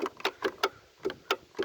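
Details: 2006 Polaris Sportsman 450, battery charged to 100%, oil fine: sharp dry clicks about four per second with no cranking when key turned; owner suspects solenoid, starter or battery, unconfirmed.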